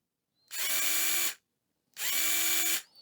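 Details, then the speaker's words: Yard Force cordless pruners, opened up with battery in and safety switch pressed: two short bursts of free-spinning motor whine from the micro switch, no load; bevel gear not turning, likely a broken or stripped gear (suspected). "Now if we operate that little micro switch. Yeah, okay. So our bevel gear is not turning as a problem in here."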